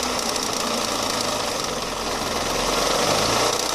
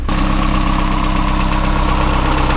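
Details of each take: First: Boosted (turbo) Mazda Miata at start-up: rapid, random metallic clickety-clack from the front of the engine, about four a second, then the engine dies. The crankshaft pulley was loose because its four 6mm hex bolts had backed out; fixed with new bolts and a new alignment pin. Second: Boosted Mazda Miata after crankshaft pulley repair with new 6mm hex bolts and alignment pin, timing checked at 10°: smooth, even idle, steady low pulse, no clatter or ticking; healthy.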